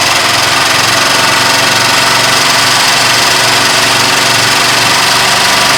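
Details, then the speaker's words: 1972 Ford F250 4x4 Highboy, revived after sitting at least 15 years, oil full, throttle blipped: loud engine with a fast click-clack tick that follows revs, stuff burning off; possibly a stuck lifter. "Yeah, it's going it's a little click clacky."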